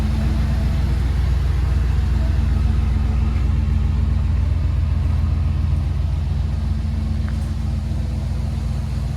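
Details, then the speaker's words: Chevy G20 4x4 camper van on its first short drive out of the shop, transmission shifting twice: smooth low engine and road drone with no creaks, clacks or bumping; driving normally. "I heard no noises or anything, no creaks, clacks, or anything like that. Nothing was bumping, nothing was hitting,"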